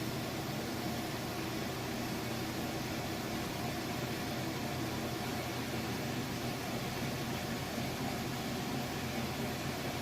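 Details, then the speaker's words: Maytag top-load washer, express-wash final spin with a load of mostly jeans, after replaced parts fixed a weak spin: steady, even whoosh of a very fast, powerful spin, no thumping or wobble; it stops when the lid is lifted, then restarts. "I'm going to lift this lid up, and when I do, it's going to stop it, but you'll be able to see it's got a very fast, very powerful spin on it."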